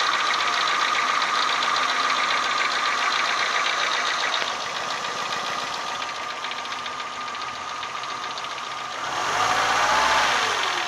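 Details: Renault Symbol 1.4 8-valve engine at warm idle: an even metallic tapping at about four per second. It knocks only when hot, not when cold, and the cause is unknown.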